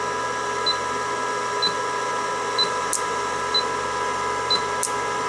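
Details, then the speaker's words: CNC spindle with a Nakanishi controller switching on and off erratically when spindle control is engaged. A steady electrical hum with a sharp click about once a second, with a flashing light and an arcing-like sound; the cause is unconfirmed. "See the light flashes on and off, and you can hear like an arcing sound."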